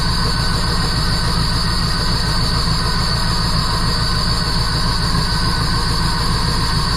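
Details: 1977 Jeep CJ7, 350 Small Block Chevy with Holley Atomic EFI TBI, new Bosch O2 sensor and tightened exhaust manifold flange bolts; tuned to idle near 14.0 AFR but idle is loud, choppy and rough. Owner suspects exhaust leak or timing chain, unconfirmed.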